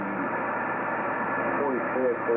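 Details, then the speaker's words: Yaesu FT-1000MP Mark V 200 W HF transceiver on a 75 m dipole, same antenna clearer on another radio: steady hiss and crackle with faint buried voices; noise floor far too high, cause unknown despite master reset. "and it just does not sound right at all and it's picking up all of this noise"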